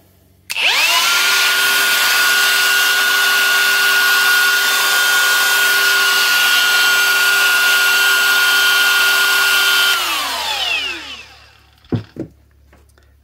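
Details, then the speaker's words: Milwaukee M18 Fuel die grinder after fixing an internal rub with a shim glued on the bearing housing and evenly tightened face: fast spin-up to a clean steady high whine, smooth wind-down; running normally as it should. "say that's how i supposed to sound so yeah i mean a really nice die grinder"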